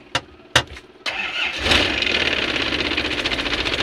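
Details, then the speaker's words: Isuzu Panther 2.5 diesel with a messy fuel line: after a few sharp cranking bursts it catches but hunts unevenly and won't settle to idle; fuel starvation ("tekor minyak") suspected, and it also stumbles under throttle. "mobil ini ketika kita starter Tidak mau langsam Tidak mau posisi idle jadi seperti tekor minyak"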